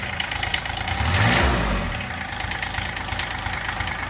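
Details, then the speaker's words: Toro Workman 3300D/4300D diesel from an auction, incomplete (no starter, water pump or alternator), unloaded: a steady, even idle clatter after a brief rev. It runs fairly well with nothing obviously wrong; compression is still uncertain. "huh seems to run good pretty good I think it's worth putting a little bit of money into"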